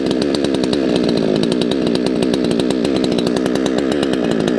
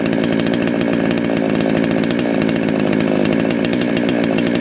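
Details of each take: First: Salem Master chainsaw, two-stroke, low-speed jet deliberately set too lean: fast buzzing that surges and bucks unevenly, then stalls; lean low-speed mixture. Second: Salem Master chainsaw, carb readjusted about half a turn counterclockwise after deliberate misadjustment: crisp, steady buzz without bogging or four-stroking; normal running.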